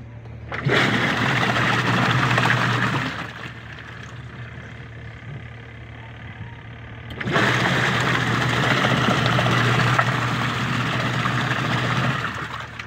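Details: Washing machine test run after replacing a noisy gearbox, also checked for water leaks underneath with none found: a steady low motor hum with water rushing in waves and no knocking or grinding. Normal operation.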